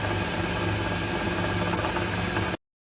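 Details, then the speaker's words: Machine turning tapers: a steady hum with a light, irregular rattle ticking about four times a second. The operator suspects a pulley loose on its shaft. "That rattle's bugging me now. Sounds like a pulley's loose on the shaft."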